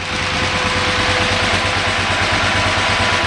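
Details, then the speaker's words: 2008 KTM 990 Adventure with fuel pressure gauge at four bar: unplugging the neutral switch makes the idle drop, lumpy and pulsing near stalling; ECU sees a gear other than neutral, and plugging it back in returns idle to about 1450 rpm. "And just to prove my point, I'll go ahead and disconnect the switch again. You heard the idle RPM [Music] drop."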